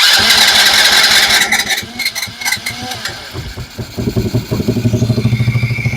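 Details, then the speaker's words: Small Chinese kids' ATV that the owner said would not run. Some rattling and clatter, then it catches and settles into an even, steady beat with no misfire. It now runs normally. "Oh, that's solid. All right, now that the engine's fixed, it runs."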